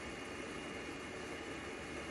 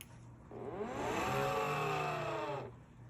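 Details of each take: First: EGO 56-volt lawn mower battery charger after cooling fan replacement, battery plugged in and charging: smooth even airy whir with no rattle or scrape; the new fan runs normally, unlike the horribly noisy old one. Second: EGO 56-volt lawnmower battery charger on plug-in: harsh rough whir from its cooling fans swells, holds about two seconds, then dies away; failing cooling fan, to be replaced.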